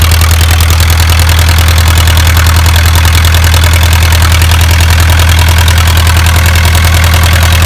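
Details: Isuzu 4BA1 85 hp diesel direct-coupled to a single-impeller 5-inch water pump for orchard irrigation: a steady, even low thrum with a regular beat of about 2.5 pulses per second and no misses or knocks. Normal idle.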